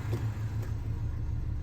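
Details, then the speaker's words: 1994 Ford Ranger XLT four-cylinder, warm after laps around the block, after spark plug work to cure suspected detonation/spark knock: low even idle rumble, no gargle, stumble or misfire; running good at just under 600 rpm. "No gargle in there. Just all rumble. No gargle in there like it's got something stuck in its throat. Running good. RPMs are sitting alright."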